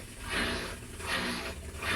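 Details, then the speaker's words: Whirlpool 19 kg fully digital washer during recalibration, done when cycles are slow or it won't spin. The drain pump hums, surging and easing about every 0.7 s with a gurgling wash; normal drain pump operation. "Ahí lo que es la bomba, está trabajando la bomba de desagüe."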